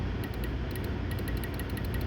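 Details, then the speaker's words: 2015 Honda CR-V under-dash wiper circuit: quick faint clicks over low hum as wiper relay cycles on its own from a pin-fitment problem at the light blue wire connector, no corrosion; relay built into harness. "Clicky, clicky, clicky. So I get a bad connection."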